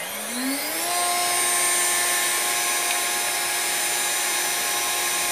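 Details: Newly installed spindle with new VFD on a 6040 CNC router, commanded 20,000 rpm (reading about 21,200): whine climbs quickly on spin-up, then holds a clean steady high pitch with no rattle; healthy spindle at full speed.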